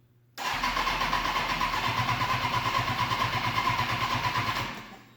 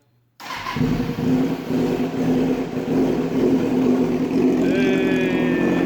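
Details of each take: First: 2005 Kawasaki Ninja 636, sat in a shed for years, first start attempt after fitting new injectors; starter spins engine in quick even chug about four seconds without catching, fuel pump needs more priming; it then runs. Crank no start, fuel not primed. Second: 2005 Kawasaki Ninja 636, sat for years, first start after repeated fuel pump priming: engine catches after a brief crank and settles into a steady, fairly even idle with a light blip. Runs, a good sign; normal running.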